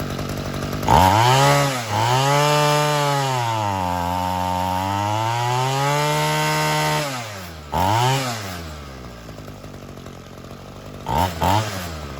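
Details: Homelite UT32650 two-stroke string trimmer (apparently dated 6/2010, ~12 years old) fitted with a new HIPA replacement carburetor, after setting the low and high screws: crisp blips from idle to a clean high scream, settling back smoothly to a steady idle; carb set right.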